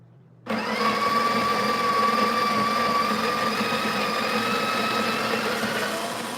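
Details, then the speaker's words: Espresso machine's built-in grinder (Bravo) grinding into the portafilter: steady high whir that thins and lightens as the bean hopper empties, burrs spinning empty. "so you hear how the grinding the grinding sound really decreased that's because um The Bean thing is empty"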